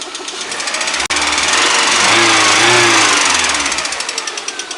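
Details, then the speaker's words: VAZ 124 16-valve engine (VAZ 2110-12/Priora), hot at 90°C, oil pressure about 1.8–2 bar at idle rising to 3.5 when revved: sharp regular tapping about three times a second over a harsh clatter; intermittent internal knock, cause unknown. "Вот что вот, блять, ему надо? То стучит, то не стучит, то стучит, то не стучит."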